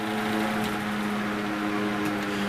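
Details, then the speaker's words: 1970s American-made Superior Electric metal fan with translucent blue plastic blades runs with a steady, even hum and smooth airflow, no grinding, ticking or bearing noise; slight blade imbalance suspected; runs clean and healthy. "that sounds pretty good I don't hear any bearing noise sounds pretty clean"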